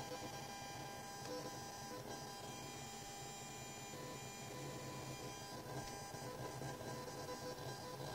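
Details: Genelec 8020B active speakers fed via XLR-to-RCA adapter and 3.5 mm jack from PC Asus Xonar DG soundcard; steady low buzz with thin whine, no signal, also noise when moving mouse; ground loop hum, fixed with Genelec-recommended cable.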